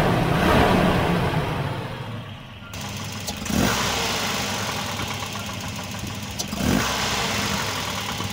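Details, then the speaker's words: Volvo 240 B230F Redblock four-cylinder after fitting a replacement distributor to cure timing-related pinging; runs at an even beat with no metallic ping, now running normally. "i'm so happy now she's running good without any ping"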